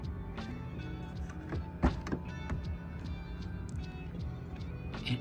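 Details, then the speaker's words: Toyota RAV4 power window after a window visor install: quiet motor hum with a sharp knock as the glass goes up. The glass is catching a seal sticking out, not the visor. "hitting actually a little bit but it's not the two but it's not the visor that's hitting it's just a solid or um the sealed thing right here that's sticking out and hitting it"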